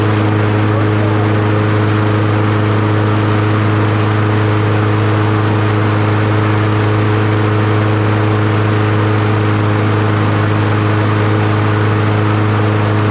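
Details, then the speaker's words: Troy-Bilt TB110 push mower with Briggs & Stratton 550EX engine after oil change, new spark plug, new blade, replaced fuel tank and cleaned carburetor: strong, steady drone at about 3100 rpm, no surging or stumbling; runs clean and healthy. "all right that sounds better perfect RP 3100 3100"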